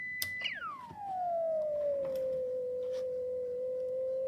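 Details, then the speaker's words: Clansman PRC-320 radio receiving an RF generator test tone with DC voltage applied to the 3H variable frequency oscillator board; the tone drops from a high pitch then holds steady, creeping slightly as the set warms, no wobble. "Well, there's the answer. No more wobble. Okay, it's slowly increasing, but it's just moving a little bit with the warming up of the set or the RF generator over there, but there's no wobble, as you can hear."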